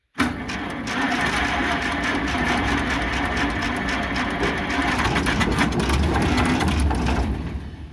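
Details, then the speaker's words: International Harvester McCormick 64 pull-type antique combine engine, long-forgotten, with seized clutch not yet broken loose: chugs unevenly with a ragged labouring beat, sagging toward the end as if dragged down; owner suspects it's stalling it. "It's gonna be a miracle when that clutch finally breaks loose. Come on, honey. There's dust flying out of everywhere. Smell something. Like a dead mouse. I think it's stalling it. It might be."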